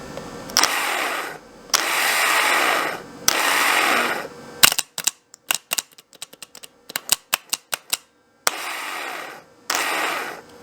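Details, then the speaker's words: Starter tested on the bench out of the car: rapid, uneven metallic clicking between harsh buzzing bursts, never spinning freely. Solenoid clicks heard in the car; starter had been suspected bad. "but I'm assuming the starter is just bunk, because I hear the solenoids clicking."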